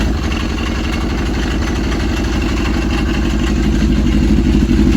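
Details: Yamaha RX1 1000cc four-stroke snowmobile, sat six years, just restarted after ultrasonic carb cleaning: steady even idle with smooth low thrum, no knocks or misses, healthy.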